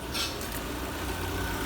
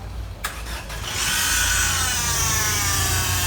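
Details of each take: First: Citroën C4 1.6 16v petrol after replacing timing belt, poly-V belt and its tensioner plus oil, oil filter and fuel filter: quiet even idle, earlier belt-area noise gone; normal idle. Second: Citroën C4 1.6 16v petrol engine starts, then settles to an idle with a harsh, high whirring rasp from a worn accessory-belt pulley bearing, heard before timing and poly-V belt replacement.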